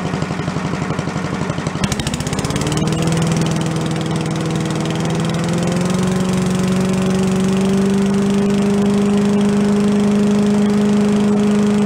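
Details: Commercial walk-behind leaf blower bought not running with carburetor problems (flooding, shut-off not shutting off), after carb work and air cleaner refit: catches after a couple of seconds, climbs to a steady high buzz and holds an even, smooth run, some smoke; normal running.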